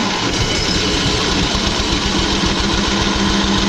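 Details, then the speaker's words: Onan 5000 W gas generator on a 1997 Pace Arrow Vision 36B motorhome, not yet run since purchase: fast even cranking with uneven attempts to catch, fuel smell, turns over but won't fire yet. "It's got an Onan 5,000 watt gas generator. I haven't got it running yet, but it will crank."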